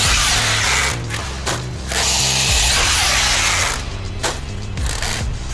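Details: Traxxas X-Maxx RC truck, basher-spec, ramp stunts at 25% power: harsh metallic ratcheting and grinding surging with throttle bursts; both screws on top of front diff case had backed out, letting front diff move and chew its gears.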